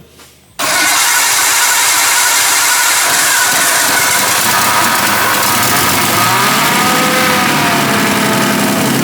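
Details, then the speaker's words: Nissan R32 Skyline barn find, freshly reinstalled RB20DET turbo engine, genuine first start after lines swapped over: engine catches at once, settles to steady running with a few free revs; normal, healthy start. "Yay! There we go. It just started."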